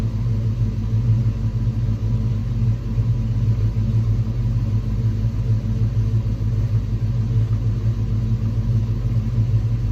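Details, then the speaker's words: 1986 Ford Mustang SSP after replacing spark plugs and wires: steady, even low rumble with no misses or knocks, smooth idle around 900 rpm, cranks and runs better than before; normal idle. "I don't know what it's supposed to be idling in but right now it's idling if you can see I think at about 900 if that is wait yeah I think it is but I say it's a success"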